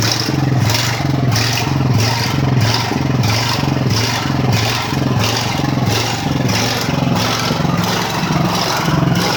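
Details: Ridgid generator with Honda GX 390 engine, just restarted after repairs and months unused: engine beats in a steady pulse about 1.5 times a second instead of an even note; unstable engine speed (régime problem), not fully repaired.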